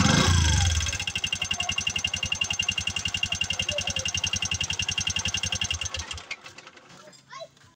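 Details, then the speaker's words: Bajaj RE engine idling, due for a tune-up: brisk, even ticking clatter from the cylinder head at nearly four beats a second, fading at shutdown; suspected excessive valve clearance. "mga ka-bad no kapagka ganito na yung problema ng unit niyo yung medyo may kalansing na o parang may latlat na sa loob Syempre una nating iche-check diyan ay yung valve clearance niya"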